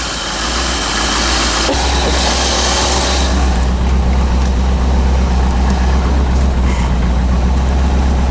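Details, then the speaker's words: 1985 Chevrolet C4 Corvette after fixing poor negative battery cable connection that caused no power and no start: steady even low rumble, no knocks or misses; battery charging, oil pressure and rpm good; normal idle. "battery's charging oil pressure is good rpms are good unbelievable"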